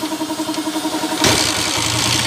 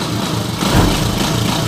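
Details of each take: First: Honda TMX155 single-cylinder motorcycle, noisy ever since a timing gear replacement, crankcase half cracked. It catches and idles loud and rattly, with a hard metallic knock under the exhaust beat; worn connecting rod. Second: Honda TMX155 single-cylinder motorcycle after overhaul, started on one click: quick, even idle putter with no rattles or misses, smooth like brand new, in contrast to the earlier rough running.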